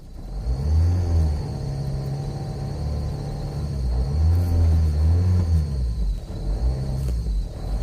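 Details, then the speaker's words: Opel Zafira 2.0 TDI diesel, unused all day, engine not yet warm, heavy exhaust smoke: at full throttle it drones steadily with a low rumble and will not rev past 3000 rpm. "Voilà, maintenant je te fais un test du contour. Donc là, accélération à fond."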